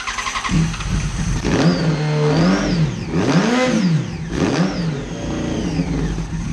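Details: Neglected 2011 Yamaha FZ1 motorcycle, first run after sitting: loud exhaust rises and falls cleanly through several quick throttle blips, revving freely with no misfire or knock; the engine runs fine.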